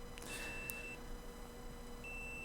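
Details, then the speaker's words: Dead Toshiba laptop hard drive PCB, not detected in BIOS: after hot-air removal of a suspected capacitor, the meter gives two steady continuity beeps across the rail; short still present. "Just apply the flex, use the heat gun, removed it, and we will test now. Yep, short is there."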